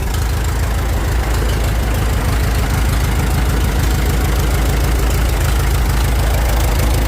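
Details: 1912 Continental Model E 345 cu in four-cylinder four-stroke engine in a racecar, just started with acceptable timing: a loud, deep, lumpy idle with an even low thump about three times a second; normal idle.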